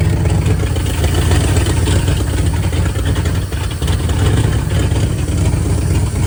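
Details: 1978 Dodge Adventurer Power Wagon, 318 V8, automatic, 4x4, first start in over a decade after priming, good oil pressure: steady, even low rumble with no knocks or misses, the V8 holding a smooth idle; healthy running.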